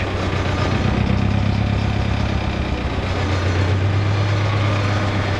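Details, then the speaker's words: '88 Ford Festiva with a 1.6 EcoBoost from a Fiesta ST on the stock turbo: low idle slightly unstable with a faint shake, poor throttle response and slight rev hang; owner guesses it runs rich, possibly a low-pressure fuel issue. Rough idle. "Seems to idle just fine. It's a little unstable, the idle, but what I'm noticing is it's got somewhat of a poor throttle response, and with that it does like a slight rev hang. So other than that, seems to idle decently. There's a bit of a shake."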